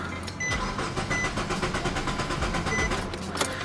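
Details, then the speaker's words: 2007 Nissan Sentra 2.0L that died while driving as if out of gas, suspected failed fuel pump. Cranking on starting fluid sprayed into the intake, the starter speeds up briefly as if about to catch but never runs: crank, no start. "so let's see if it'll start off those fumes it kind of sounded like it was about to catch"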